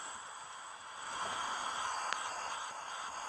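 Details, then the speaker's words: Ford Focus SVT, leak-down test on cylinder 1 assumed at top dead centre: faint steady audible hiss of escaping air, but leakage reads around 15%, so the cylinder tests good. "so this here would show that it's not leaking very much at all even though we can audibly hear that"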